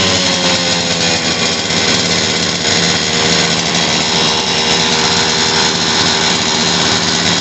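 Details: Stihl TS400 two-stroke concrete saw after carburetor kit replacement and new spark plug: steady high-pitched scream held evenly at speed, no stumbling or cutting out; running cleanly.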